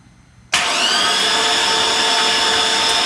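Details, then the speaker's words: Chevy 5.3 engine (vehicle at 252,979 miles) cranked by starter with spark plugs removed and no fuel pump to prime oil pressure: steady even whir with no compression pulses; no oil pressure yet. "I don't see any oil pressure yet okay because we have no spark plugs"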